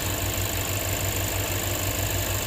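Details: 2007 Lexus IS250 that would crank but not start, possibly after being jump-started backwards, with MAF, throttle position and ignition coil codes, now running after repair: an even, steady idle with a smooth low pulse and no knocks or misses; lots of exhaust smoke.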